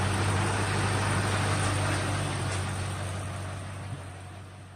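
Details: 2003 Ford Mustang SVT Cobra after 4 months of winter storage, dead battery replaced with new Motorcraft BXT-59: catches and settles into steady, even low rumble at idle, no misses or knocks; normal healthy idle.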